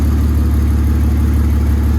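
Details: BMW E36 with swapped E46 323 engine and Z3 engine harness, earlier misfiring from a failed ECU injector driver, running after repair: steady even idle with smooth regular pulse, no stumble; normal idle.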